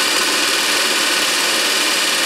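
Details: 24 V DC motor, prime mover for a 1943 Genemotor, after cleaning carbon from the armature segments, cleaning the bearings and easing brush tension: a smooth, even high-pitched whirr with steady brush hiss and no knocking or scraping. The motor spins freely and is healthy.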